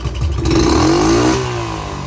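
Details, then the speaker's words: Honda CT70 small single after timing and valve adjustment, jetting and air-fuel mixture not quite right: idle not smooth but holds; snaps up cleanly from idle and settles back without hesitation, healthy throttle response. "but the fact that you can go from a dead idle you can hear it in the exhaust it's not it's not idling smooth but it idles"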